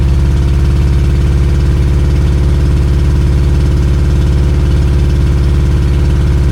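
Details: 2002 Yamaha 90hp outboard after sitting two years, idling about four minutes at 1,000 rpm: fast steady burble well above normal idle; leaking carburetor keeps idle too high, carbs need cleaning, one cylinder also low compression.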